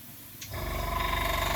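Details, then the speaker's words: Airbrush compressor at 18 psi spraying pressure, compared with a Gaahleri Apex Force ultra silent unit: kicks on after brief quiet, then runs with fast, rough, rattly pulsing; noisier than it should be, cause unclear. "they're not going to be happy with you doing that. Whereas they probably wouldn't mind you doing this."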